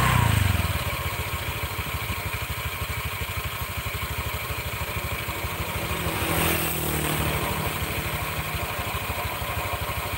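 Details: Honda Vario scooter CVT, rear wheel held while engine runs: fast coarse grinding clatter from belt drive area that disappears when the wheel spins freely; CVT grinding noise.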